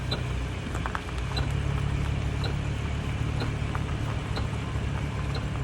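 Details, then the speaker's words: Audi R8 driving on the road, faint squeak and thump from the rear driver's side once per full tire revolution over road rumble; car stranded, found to be loose rear axle flange bolts. "okay so basically what it's doing is every time the tire rotates one full Revolution it's making this squeaking thumping sound coming from the back driver's side"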